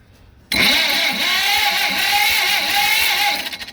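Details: Long-dormant John Deere B tractor after freeing the engine and fixing a loose ignition connection, no carburetor fitted: steady even cranking at about two compression beats a second; normal cranking.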